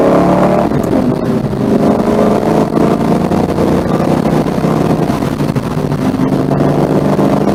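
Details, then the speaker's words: Mustang on test drive after a Wix 3397 fuel filter replacement: strong, steady engine drone, even pulling with no hesitation or bucking under load; works just fine. "all there it is looks like it works just fine um yeah all right"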